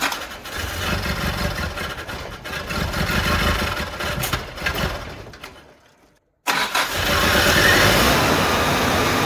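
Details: 1985 Mitsubishi Pajero idling on its original carburetor: uneven, stumbling beats near two per second, dying then restarting; owner suspects a spark misfire and checks distributor cap and rotor; the carburetor was later swapped for a Weber.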